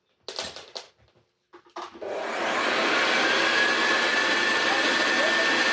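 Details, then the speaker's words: Restored Hoover Senior U4058 vacuum cleaner run with hood off after full strip-down and new bearing grease; a couple of clicks, then the motor spins up to a smooth, steady high whirr with no rattle or scrape; healthy. "Very nice indeed. The new bearing grease that I put everywhere is working its way in."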